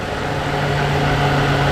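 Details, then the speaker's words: BMW E92 325i manual with N52 petrol engine, idling after the engine rattle fix: smooth steady low hum, the earlier rumble gone; normal idle. "so moment of truth i guess we'll start it up and we'll see if it's quieter i'm gonna leave you guys there for the prime position hopefully nothing bad happens i think it's fixed the rumble"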